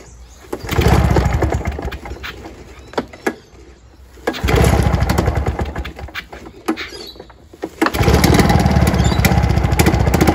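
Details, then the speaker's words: Curbside Victa Commando two-stroke lawnmower on fresh 25:1 mix after a tune-up, started after a few pulls: rapid buzzing note surging and dropping in bursts with the throttle; running normally. "there he goes folks he take a few pulls to get it started but we've got a running figure straight off the street a little bit of a tune up fixed a couple of issues"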